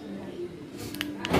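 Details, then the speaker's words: Toyota with the remote alarm in silent (deactivated) mode, unlocking by remote: a few sharp mechanical clicks from the door lock actuators, with no siren chirp. Silent mode is working. "tidak ada suaranya kan hanya ada suara pengunci pintu bunyi jepret gitu tuh seperti itu"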